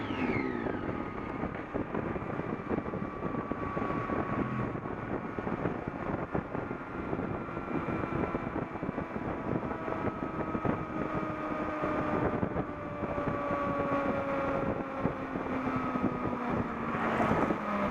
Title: Buzzing noises while in neutral